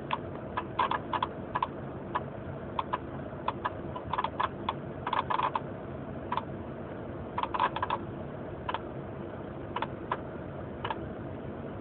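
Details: 1996 Honda Accord LX, manual: sharp light clicks about two a second, sometimes paired, over a low steady engine rumble; owner asking what the clicking noise is.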